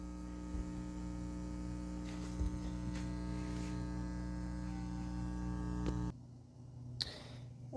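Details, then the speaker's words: Self-amplified studio monitors before fitting a ground eliminator plug: steady low mains hum with a faint buzz until power cuts; ground loop hum, silenced once the plug is installed. "If you're experiencing an annoying hum out of your self-amplified studio monitors like this, let me turn it on."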